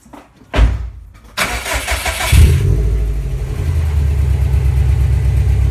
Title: Rattle sound